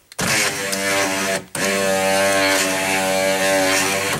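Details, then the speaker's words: 2005 Chrysler Town and Country Touring 3.8L, front driver's power window: steady droning motor whine with buzzy edge, pause, continues; noisy going down and slow going up, regulator or motor unconfirmed, before replacement. "the problem I'm having is it's noisy going down and slow going"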